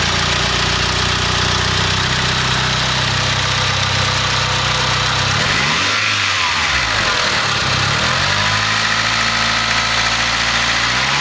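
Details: Mitsubishi 4G63 engine in an EVO 3/DSM: engine blips and falls back to idle with a light, quick knock under the running note; owner suspects a spun bearing, unconfirmed.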